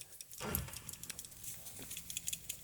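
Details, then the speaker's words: Old PCV valve removed from a Honda Pilot during a tune-up, shaken by hand: light, irregular clicking shows the plunger moves freely and is not stuck, though it is being replaced anyway. "yeah you still hear it clicking regardless it's time to go"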